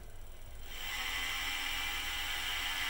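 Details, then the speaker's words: PM-25MV milling machine spindle at about 1,200 rpm with a tight-fitting 3D-printed bushing locking the spindle and drive pulley: steady, even high hum with no rattle or knocking. Smooth and healthy even at low rpm. "spindle sounds great there's about 1,200 beautiful right even at a low rpm"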